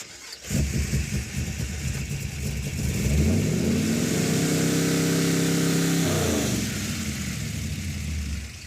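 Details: '56 Chevy with 500-hp small block, vacuum advance, after replacing failed ignition boxes: catches, climbs smoothly to a high rev, holds and eases down with no misses or hesitation; normal running.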